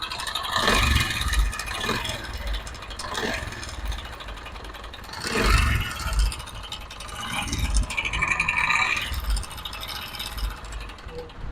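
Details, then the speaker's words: Honda CD 70 engine: a loud, uneven clattering rattle over a lumpy idle that rises with blips, from a slack timing chain with a weak tensioner spring. "तो दोस्तों आपने देखा है की कितनी खतरनाक engine से आवाज ए रही"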